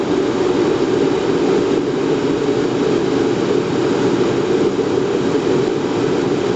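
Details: Riello RS38 forced-air gas burner start-up after a flame-failure test: steady, even fan rush with no pulsing or rattles during pre-purge, before first-stage ignition with arc and gas solenoid valve. Normal start-up.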